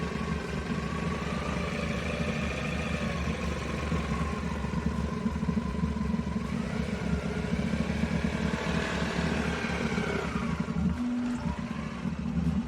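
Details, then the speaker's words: Car idling with an uneven, lumpy beat and light clatter underneath, sounding like it's not firing on all cylinders; customer complaint of weird idle, cause not confirmed. "customer States my car has a weird idle I don't know about you guys but it sounds like it's not firing on all cylinders to me"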